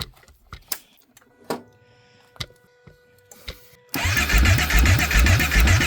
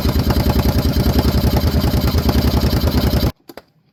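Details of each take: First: Kawasaki Brute Force 750 ATV: scattered clicks then steady rhythmic cranking about 2.5 beats a second, never fires; spark confirmed and no fuel pump prime heard, so crank no start from no fuel delivery. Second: 2014 Kawasaki Brute Force 750 fuel-injected V-twin ATV, earlier a no-start, now after repair: even, quick thump of about three beats a second holds steady before it cuts off; the engine runs normally.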